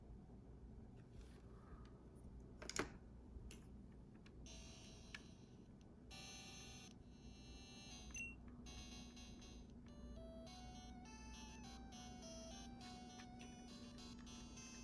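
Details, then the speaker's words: Game Boy Color after replacing the faulty speaker (0.5W 23mm): clean, bright, undistorted beeps and game tones, so the speaker now works; a faint hum remains, especially at low volume. "okay. All right, cool. So I think that was just our problem, was that it was a bad speaker."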